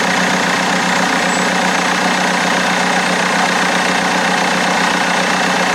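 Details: BMW E90 320d on cold start just after a new turbo was fitted: rough diesel idle with a steady high-pitched scream, like someone screaming. The whine's cause is unknown.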